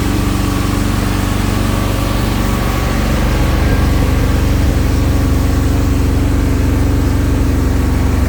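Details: 1971 Alfa Romeo 1750 GTV with manual transmission, just started cold: a steady, fast, low, even idle with no misses or knocks sits high and smooth; the idle dropped later and may need adjustment.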